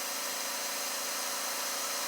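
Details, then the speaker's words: Kawasaki FH580V that loses power, dies after running and smokes heavily on startup: a steady airy hiss of air escaping past the rings and out the dipstick tube. Blow-by found, and worn rings are suspected. "you got uh air coming back out of the dipstick too and it was smoking a little bit"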